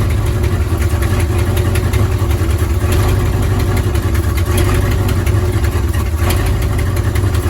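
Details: 1955 Buick Roadmaster V8, revived after sitting 20+ years and fed from a fuel jug: deep, steady rumble holding an even idle with no misses, knocks or stumbles; running smoothly.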